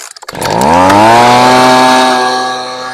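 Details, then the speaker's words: Husqvarna 125B leaf blower at full throttle while adjusting the high-speed carb screw: turned rich it holds a burbly, uneven howl, four-stroking, which goes away when leaned out; rich high-speed mixture causes four-stroking. "oh so hopefully you noticed and could hear that I was basically going on off on off on off as I went to the left and I riched it you could hear it for stroking and then when I went just to the right you could hear it going away again"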